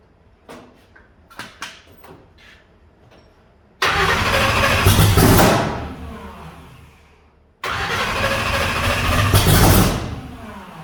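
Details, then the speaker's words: Blown big-block Chevy V8, methanol, starting attempt before a hub dyno session; eight injectors not working: cranking, then two short bursts of ragged firing that fall away, catching but not running cleanly. Rough running, cylinders not firing. "good and bad news so bad news we can't get the other eight injectors working"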